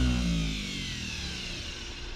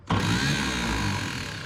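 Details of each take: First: 1951 Chevrolet Advanced Design pickup, unused about 30 years, starter tested on the bench: sudden engagement, then a strong, even electric whir holding steady with no grinding or dragging; starter spins freely and healthily. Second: 1951 Chevrolet Advanced Design pickup, 6-volt starter on 12 volts: starter whirs up fast and free with no engine cranking rhythm, then smokes; the Bendix drive isn't catching the flywheel.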